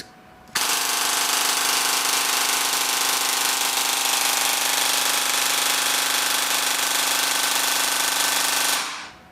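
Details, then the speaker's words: T238 brushless 480 motor fitted in an AEG gearbox, tension screw backed out: an eight-second burst of very fast, even mechanical cycling at high rpm with high current draw, just before a rack gear apparently stripped. "wow listen to those rpms"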